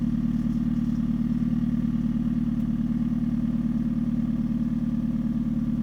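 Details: 2013 Hyundai Genesis Coupe 2.0 automatic at idle: a fast, even rattle of about three per second over the engine; owner suspects the engine, engine mounts, or exhaust hanging too low, source uncertain.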